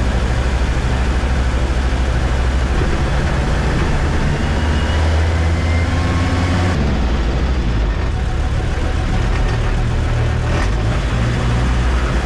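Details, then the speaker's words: 1965 Unimog 404 diesel with a newly replaced gearbox, on its first big road test before a North Cape trip. Deep, steady diesel drone under way with road and wind noise, even pull, no knocks or grinding. No leaks; it drives and shifts well. Normal driving. "So yeah, I need to see if everything is fine, but everything under it looks good, no leaking stuff. It drives good, it shifts good,"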